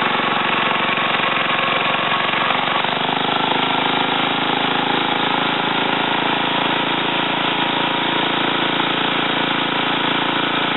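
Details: Ariens TA20A Trans-a-matic rototiller after engine rebuild and plate-clutch repair, carburetor untouched, run in a wooded area: single-cylinder engine holds a steady, even drone throughout, no misses or surging; normal running.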